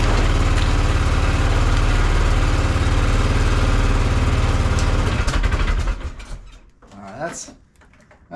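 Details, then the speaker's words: Polaris Sportsman 500 ATV (year unknown), long-sitting, carb left on with fresh gasoline added: single-cylinder idles on manual choke a few seconds then falters and dies, won't run off choke or take throttle; owner suspects clogged jet, plans carb clean. "a sign that we got a jet clogged I think that I can't take it out of Choke and I can't give it any gas so we might have to clean that carb"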